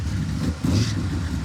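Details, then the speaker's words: Junkyard 1957 Chevy fed from a used trunk fuel cell: runs rough and low, sagging and fluttering on throttle instead of picking up; fuel filter empty, fuel starvation suspected, possibly bad pickup in the cell. "I don't think there's any fuel in it I'm a little confused at this point"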